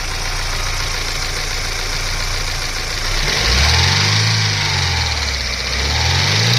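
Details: Daewoo Lanos 1.5 SOHC at idle: busy, fast metallic ticking over the engine hum with a wavering low drone as revs shift; unusual engine noise suspected as damage, cause unclear.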